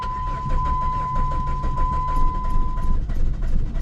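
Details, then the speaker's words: 1995 Plymouth Neon after sitting in a garage, cranked on a chilly day: the starter cranks steadily with the odd weak pop as one cylinder tries to fire; the engine never catches. "It's trying to like fire one cylinder. Nope."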